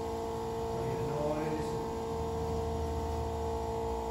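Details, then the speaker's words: 1974 Plymouth Duster 440 project, newly replaced electric fuel pump energized for nitrous system: steady even electric hum, no surging or rattle, fuel returning, about 7 psi fuel pressure, no leaks; normal fuel pump operation. "all right nothing leaking on the floor and I can hear it returning we're right at seven pounds of fuel pressure so that's all good news"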